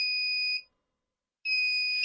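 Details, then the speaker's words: Wagan Elite 400 W pure sine inverter with 75 W incandescent load, input around 10.5 V: steady high-pitched beep about half a second, pausing and resuming; low-voltage alarm, still beeping when voltage raised slightly; cutoff near 10.16 V. "10.5. Yep. And if you boost up a little bit, still beeps. Probably have to go way up."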